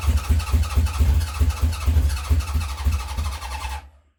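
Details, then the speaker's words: 1970 Honda CB750 K0, second start attempt after decades sitting, choke on, remote fuel tank, under a cc of petrol squirted into each carb: slow, labouring crank with coughs but no catch, dragging weaker as the battery gives up; won't start. "The battery will go in a minute. You can almost sense it giving up."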